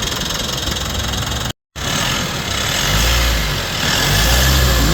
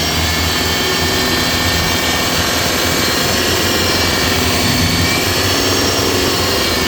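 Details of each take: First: Mitsubishi Montero Gen 3, 4N15 diesel after the alternator pulley repair: a steady, even idle with a smooth low rumble and no squeal or chirp from the belt end. The earlier loud hum is gone, and the engine is now quiet. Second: Mitsubishi Montero Gen 3 4N15, belt and tensioner bearing newly replaced: loud running with a steady hum and faint ticking, grown from an earlier ticking; turbo was suspected.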